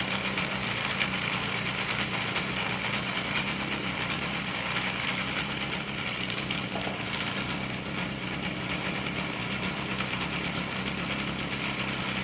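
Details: Stihl FS38 trimmer after fixing an idle squeal from the clutch drum by greasing the dry bushing: small two-stroke buzzing at a steady fast rate, even rattly note with no squeal above it; normal running.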